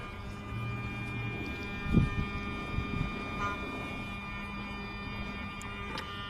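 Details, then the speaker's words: Mercedes SL600 E-gas throttle actuator tested on a bench with a 4-door coupe module, ignition on: quiet, steady electric hum at one pitch from each side; throttle and E-gas module both working normally. "So I'm going to put on the ignition. Here we have this humming sound. Okay, same humming from the other side."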